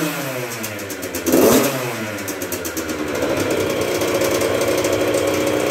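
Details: 1996 Yamaha YZ80 80cc two-stroke, first start after a full rebuild, choke on after priming kicks from dry: crisp buzz that revs up cleanly, then settles into a steady high idle, running healthy.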